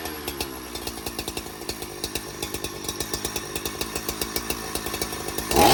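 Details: Donated 2005 Husqvarna 372XP chainsaw, said to have run poorly, fitted with replacement muffler and bolts, on non-ethanol premix: steady burbling idle with regular pops, quick throttle blip near the end; starts and runs normally, oiling.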